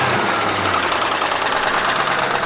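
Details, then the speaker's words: 1997 Ford Mustang GT, 4.6 two-valve, 200k+ miles, run with almost no oil, then doughnuts; cold start near 15–18 degrees after topping up oil. Sharp, steady idle-timed knocking as oil pressure drops to nothing intermittently: rod bearing knock. "all right so i thought we evaded the problem but it's continuing to knock"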